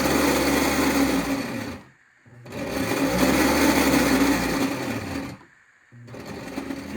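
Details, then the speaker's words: Postwar Lionel 364 lumber loader motor: coarse growl in bursts, louder than usual, with the belt hung up on the rollers. Original factory grease has hardened over seven decades; clean and relube. "can hear the motor growling louder than usual. The belt is also hung up on the rollers."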